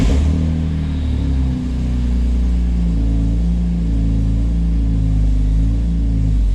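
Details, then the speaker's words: BMW S54 engine, lukewarm, first start after the dual Section 1 resonator-delete exhaust mod, heard from about 20 feet away: deep, steady idle drone with no rasp or rattle. Healthy exhaust, seemingly quieter than before. "so i think i like it i think i like it we're gonna get some more clips but the first impression is good"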